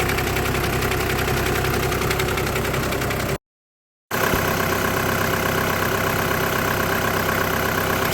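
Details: 2008–2014 VW with DSG gearbox at steady idle: a dense, buzzy, constant rattle is layered over the engine. The diagnosis is DSG clutch plate vibration, with the plate bearing also tagged.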